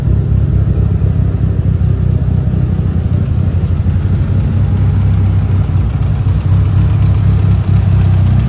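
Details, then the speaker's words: 2003 Mitsubishi Evo 8 with aftermarket cams, already warmed up: choppy loping idle, roughly four uneven pulses a second over a deep exhaust drone. Lumpy idle from the performance camshafts. "Got those nice cams, give it a nice lope."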